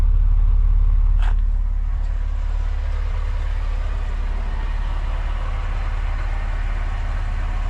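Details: Neglected Alfa Romeo Spider petrol engine first started after months unused, following a relay fix: close-up smooth idle with a low, even pulse of about 3.5 beats per second, no oil starvation.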